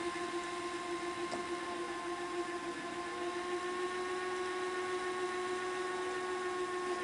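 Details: Customer's Sony SL-HF600 VCR after capacitor replacement (tape-end sensors had failed from bad caps), rewinding a tape to the beginning after playback: even motor whir at constant pitch with light regular rustle, no squeal or grinding; smooth, healthy rewind.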